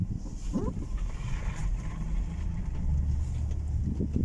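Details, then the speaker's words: 2007-2017 Ford Expedition rear limited-slip differential after cleaning, fresh oil and friction modifier, turning at full lock: steady low rumble with no shudder or grabbing, only slight leftover noise, where before it chattered loudly; normal operation. "يعني اول كان لما لف شيء بسيط بس كذا كان يطلع صوت قوي، الان ما في صوت، ها ما عاد في صوت،"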